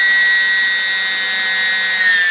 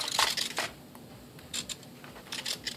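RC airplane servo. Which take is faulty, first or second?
second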